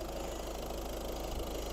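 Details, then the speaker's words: 2013 Ford Grand C-Max Titanium TDCi, 1.6-litre diesel, 6-speed manual, 96,692 miles, just serviced; recorded at the engine bay with bonnet open; soft even diesel idle with steady clatter, no misses or knocks, smooth and healthy. "Nothing to see here, just a big old plastic cover, but you can hear how smooth and how beautiful the engine runs."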